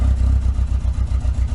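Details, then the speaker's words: Nissan 200SX S12 CA18ET, idling while waiting to drive: a deep, lumpy idle that stumbles every few beats, sporadic then continuous. Cylinder two is not firing; a stuck or intermittent injector is suspected. Misfire at idle. "interestingly just sitting here waiting to go it's it's picked up a misfire it's it's lost a cylinder I would say"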